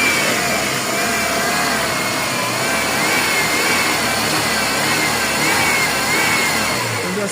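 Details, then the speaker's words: Ford Fiesta after replacing the timing chain tensioner with an aftermarket part, driven without oil leaks: smooth even engine note rising and easing with throttle, no rattle or tick; engine runs normally. "A princípio nenhum vazamento de óleo. Rodei com o carro tudo OK. Agora escuta o ronco do motor depois do problema"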